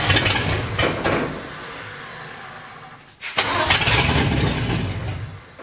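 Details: Ford 351 Windsor V8 in F100 rat truck, first start, fuel system flushed of diesel, timing untouched; catches and surges on its own in uneven bursts, dips near stalling, races again. Owners think dirt in the carburetor.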